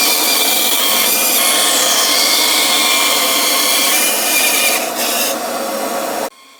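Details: 1930s 36-inch Oliver bandsaw resawing a board to thickness against a clamped straight-board fence: steady hissing rasp of the blade feeding through the board, even throughout, then the cut ends abruptly; cutting normally.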